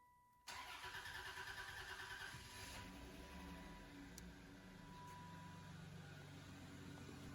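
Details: Intrepid right after fuel filter replacement, pump relay back in and fuel pressure built up: brief crank, then the engine catches cleanly and settles into a steady, even idle with no misses or knocks; healthy start.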